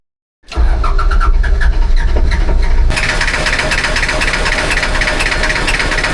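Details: Diesel amphibious ATV; slow, labored cranking with uneven low chugs, never settling into a clean idle, hard starting from unknown cause.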